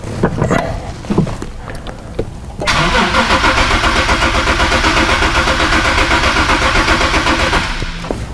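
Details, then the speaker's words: 2008 Nissan 370Z with no stored codes, cranking but not starting; it starts only with the bank 1 camshaft sensor unplugged. Even starter cranking at about four beats a second, never catches. Camshaft timing fault. "okay definitely doesn't start just like the shop says"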